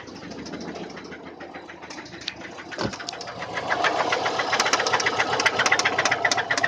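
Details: Subaru EJ204 engine: sharp, regular knocking about four times a second, louder as revs climb; teardown found a spun connecting rod bearing on cylinder 1.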